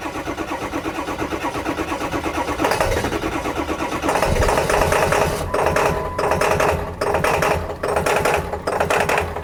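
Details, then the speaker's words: Ford F350 diesel with a crank-no-start fault, running after the fuel tank was cleaned, on little fuel in the tank. The clatter surges and sags under revving with dips, as if starving for fuel. Runs rough; cause not confirmed. "Truck is running, but it feels like it's running out of fuel. Okay, let me rev it up a little bit. Feels like it's running out of fuel."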